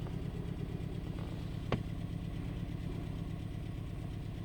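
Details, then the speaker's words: 2013 Escape 1.6 L turbo gasoline direct-injection idling with an uneven, stumbling beat; misfire test isolates cylinder 2 (codes for cylinders 2 and 3), compression good, exhaust/muffler leak also present. "فواضح عندي مس فاير في نمرة 2. اوكي، واضح ان هو في نمرة 2. واضح ان عندي المس فاير في نمرة 2."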